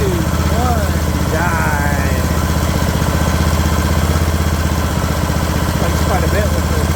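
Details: Craftsman LT2000 riding mower engine at a slow idle after the throttle linkage was straightened: low, steady thumping at an even pace with no hunting, settled and healthy; normal idle.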